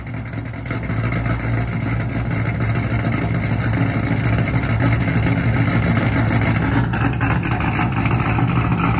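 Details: Cammed LS3 Corvette V8, first start after cam install with fresh oil and coolant: loud, uneven, choppy loping idle at about three pulses a second; the big cam runs rough and needs a tune.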